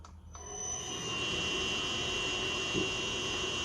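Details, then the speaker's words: 1 hp coolant pump motor on a Haas VF-3 retrofit VFD, factory-set 50 Hz base frequency, fed about 233 V and near 4 A, more than it was made for: steady high-pitched winding whine over running noise; wrong base frequency. "That winding is making a lot of noise. I'll show you why."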